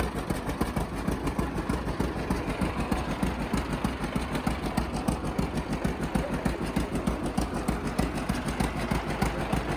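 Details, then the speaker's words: 1950 John Deere Model A two-cylinder at idle, first run after about six years sitting: slow even putt with faint ticking puff each beat from a small manifold-to-exhaust-pipe leak, minor, to be fixed. "it does have a little bit of a leap between the manifold and the exhaust pipe that's no big deal we'll get it fixed"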